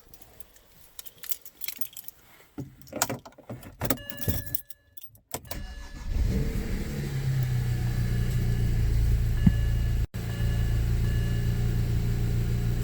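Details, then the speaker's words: BMW E90 N54 first cold start after cleaning VANOS solenoids for a VANOS code: engine cranks, catches quickly, settles into smooth steady cold idle with no knocks or rattles; healthy start. "it's cold out, we know. Right, things seem to be good right now. So I'm going to let it run for a while."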